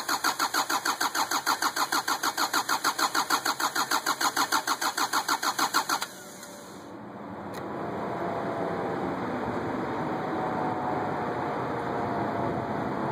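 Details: 2550xp hard start: about six seconds of even cranking pulses, roughly three per second, before it finally catches and settles into a run.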